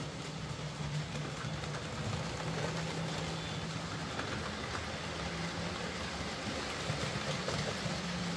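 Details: Hornby J15 model loco, bought new about two years ago, always slow and noisy; after new motor fitted and worm gear regreased, soft even low motor hum, no buzz, catch or surging: normal smooth, much quieter running.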